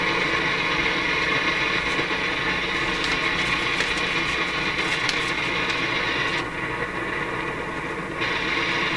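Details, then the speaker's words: Nordmende Norma Luxus tube radio with very low volume and a weak EL95/6AQ5 output tube: the noise comes after the volume control, and the steady hiss suddenly dulls and returns, possibly as the tube is moved. Intermittent fault suspected, not confirmed. "piece of paper made it change what happened there i must be moving the tube a"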